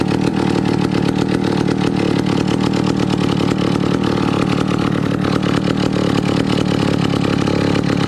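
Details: 1962 McCulloch 1-46 chainsaw, revived after lacking its carburetor and other parts: crisp, steady two-stroke buzz picks up cleanly without stumbling; running properly.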